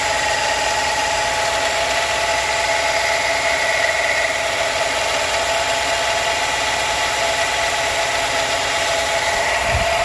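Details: 2016 Ford F-150 idling with a steady high whine and faint ticking over the running note; owner doesn't know the source.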